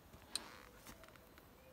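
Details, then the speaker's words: Solar-powered Parmak Magnum electric fence charger on a bee enclosure: two sharp dry clicks about a second and a half apart, strong normal pulsing. "throw the juice back to it hear that clicking again big juice big Power"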